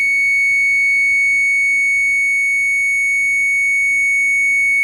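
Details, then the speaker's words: 1966-70 Mopar Chrysler B-body instrument voltage limiter tested on the 5-volt gauge side: the tester tone pulses about four times a second as the limiter cycles, so the limiter is working properly. "See how it's flashing? That's working. That means that one works."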